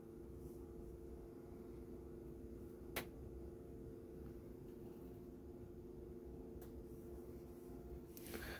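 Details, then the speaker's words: Motorhome electric drop-down bed rising slowly via its control panel, stopping automatically at the up position: quiet, steady low motor hum with no knocks or grinding; normal operation. "so that's done electrically by this control panel you can see is attached there so it moves slowly you won't want it moving too fast in case there's anything trapped but uh that's on its way back up"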